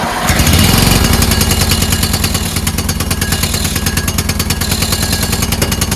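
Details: Toro Wheelhorse 1438HXL with repowered 17.5 hp engine, after mower deck belt and pulley replacement, deck engaged: steady even single-cylinder beat about three pulses a second, smooth under load; everything works. Normal running with deck engaged.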